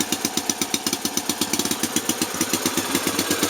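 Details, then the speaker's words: NSU Max single-cylinder motorcycle at first start after restoration, kick-started, fuel on, oil circuit checked, rear fender not yet fitted, a little smoke from various places: crisp, even slow idle, roughly three beats a second, firing cleanly with no misses. It sounds right, a normal idle. "Ja, der kommer lidt røg ud forskellige steder, men sådan lyder den altså. Den lyder rigtigt, ja."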